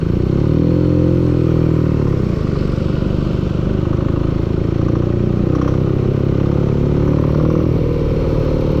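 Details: Engine running at constant speed with a dull, regular knock under the exhaust beat; engine knock of unknown cause.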